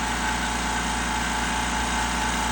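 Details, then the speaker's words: California Air Tools 20020AD quiet air compressor running normally: smooth, even motor hum with a steady fast pump pulse, no knocking or rattling; it briefly releases air at start-up to reduce starting amperage draw. "and the fact that it releases a little bit of air when the compressor is first firing off to reduce the starting amperage draw when the compressor is first firing."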